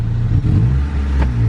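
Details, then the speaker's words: Honda Civic with codes P1509, P0108, P0122, P0113, idle 810-820 rpm: low uneven idle with brief stumble; plugs good, ignition timing way off; idles well after correction. "a bit of a stumble right there what are the plugs look like in this thing plugs look pretty good we just checked them check the gap on them uh the timing was way off"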